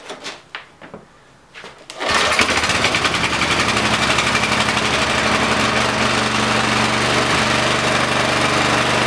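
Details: Briggs & Stratton 5HP site generator engine that wouldn't run, after carburettor clean, on choke: a few pulls, then the single-cylinder catches and settles into a steady, even run with no misses; running normally.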